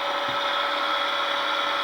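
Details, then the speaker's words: Old Kearns Richards S-type horizontal borer, first power-up after fixing loose terminals, spindle motor running forward at low speed: smooth even electric hum, no knocks or grinding, reasonably quiet. "and it's reasonably quiet actually so that's forward that's supposed to be where it is"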